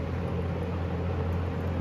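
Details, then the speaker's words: 1974 Kmart (Lakewood) P23 20-inch box fan on medium, previously oiled, heard from about 6 feet: smooth steady low hum with soft air rush, no rattles or wobble; very nice running harmonics, healthy. "I crank it up to medium. It has very nice running harmonics. I think they sound great."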